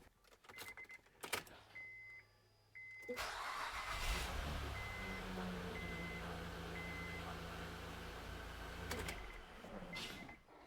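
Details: 2007 Honda Pilot V6 started right after a valve lash adjustment and valve cover gasket replacement; door chime, brief crank, then a smooth, even idle with no ticking.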